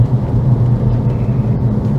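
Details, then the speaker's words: Alfa Romeo Brera while driving after gearbox rebuild with new bearings: steady low humming drone under road rumble; whining noise persists, goes away when clutch pressed; owner originally suspected clutch/release bearing, cause not confirmed. "Se että jotakin siä on edistystä tapahtunut mutta se ääni ei poistunut Mikä lähtee vaan kun painaan kytkimen"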